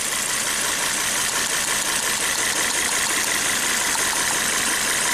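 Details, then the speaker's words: Volvo S60 Turbo with severe misfire, loss of power, codes for cylinders 1 and 2, during a cylinder drop test: rough loping idle under hissy roar; no change unplugging cylinder 1 despite spark, dead cylinder. "and no change even though there is a spark there's no change in number one"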